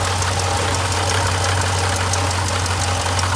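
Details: Jeep Grand Cherokee SRT (WK2), failing water pump: steady deep engine drone at idle with a loose, gravelly rattle like marbles, the pulley wobbling and coolant spraying from the pump.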